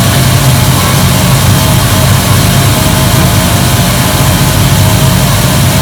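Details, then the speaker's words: 1973 Dodge Dart Swinger at idle, heard from under the car: a loose, tinny buzzing rattle rides over the engine note. The bell housing dust shield is vibrating, likely because one of its small bolts is missing. "i think i can see it might be the t shield because uh one of the bolts is missing on the shield i can see one of the little bolts is is gone that might be why it's rattling"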